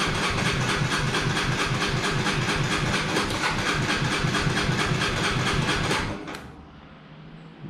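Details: Honda CBR125R fuel-injected single, hesitating with FI light, dirty tank from previous owner neglect; primed from empty: rapid even cranking, about three pulses a second for six seconds, never catches. Fuel supply suspected.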